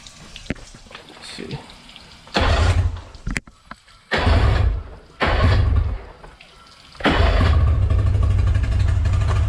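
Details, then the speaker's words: Outboard motor, testing spark with only the bottom plug connected: fires for a few seconds then dies, lumpy uneven beat as if one cylinder firing; intermittent spark suspected, unconfirmed. "so we'll take off these two maybe it's getting like intermittent spark or something cuz it still will fire up"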